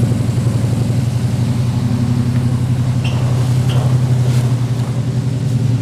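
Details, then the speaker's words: 1977 Chevy Nova, newly installed FiTech 800hp MeanStreet EFI, idle set to 900 rpm, mic at the rear of the car. Steady, even low exhaust rumble with no misses or knocks: normal idle. "all right guys so there you have it we got a pretty good first start on the phi tech"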